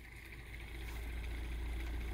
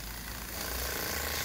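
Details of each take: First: 3D-printed pulse motor with a new rotor, after fixing an earlier hitting noise caused by a warped PLA opto disc, runs with a soft, steady low hum, even pulse near 3.5 per second, no tapping, and well below top speed. Normal running. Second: 3D-printed Bedini pulse motor with a new rotor runs hard; a fast, harsh buzzing rattle rides over its whir because the stand is not secured. Vibration from unsecured stand.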